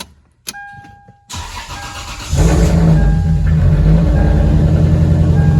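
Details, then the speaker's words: Lexus IS300, sat about two months with a dead battery, jump-started, after parts were unscrewed and reconnected: engine cranks, catches quickly and idles with an uneven, pulsing beat; still sounds like a misfire at idle. "yes we did it unscrewed everything put everything back into place thinking everything was a nice sound good it sounded better however now it still sounds like there's a misfire"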